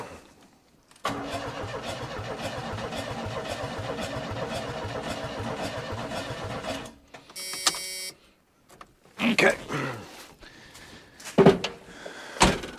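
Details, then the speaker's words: Junkyard Chevy S10 with throttle-body injection, fuel pump newly making noise then quieting; starter cranks steadily about six seconds with even compression pulses but never catches, throttle body looks dry: crank no-start, no fuel delivery. "I'm checking for now is to see if we got fuel and that thing looks dry"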